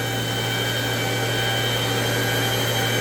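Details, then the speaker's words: Citizen L20 CNC Swiss lathe sub spindle running at 7,000 rpm: steady, smooth high-speed whir with a constant clean tone and no knocks, rubs or wobble; bearings sound healthy, normal running. "Oh, that's the sub. This is at 7,000? This is the sub spindle at 7,000. Sounds very good."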